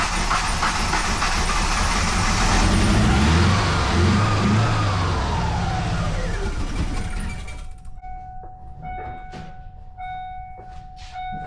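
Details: Foxbody Mustang convertible starting after new spark plugs; head gasket already suspected bad. Catches and runs lumpy and uneven under throttle with a stumbling beat before settling, a misfire, cause not confirmed.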